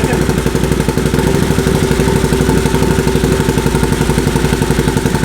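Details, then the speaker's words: Built Can-Am Outlander 850 V-twin, running after reinstall, before letting it run until the fan cycles; loud choppy lope about four pulses a second with exhaust bark, firing on both cylinders, running properly. "Fire on both cylinders."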